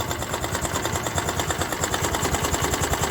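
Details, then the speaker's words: Honda Activa 125 scooter engine at steady idle, recorded at night when quiet: fast, even knocking riding on the engine beat; damaged crankshaft, complete engine rebuild needed. "तो यहां पर अगर आप ध्यान से सुनेंगे तो इसमें क्रैंक का भी साउंड आ गया है क्रैंक इसका डमेज हो गया"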